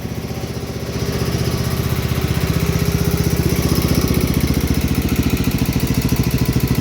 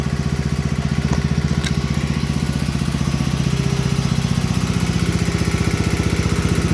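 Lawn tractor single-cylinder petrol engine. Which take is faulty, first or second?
first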